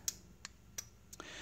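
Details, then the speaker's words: Gate1 universal gate receiver during keyfob programming (P1 pressed, LED on): sharp, dry relay clicks, four to five in about a second, confirming the remote registered; normal. "by the second time you hear the clicking noise that means it register the remote on the receiver as you can hear there"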